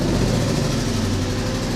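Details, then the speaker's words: Jeep petrol engine idling after the fuel pump whine was fixed: smooth even idle with faint steady fuel-pump hum; slightly loose exhaust may rattle against metal — normal idle. "you can hear just how good this Jeep sounds"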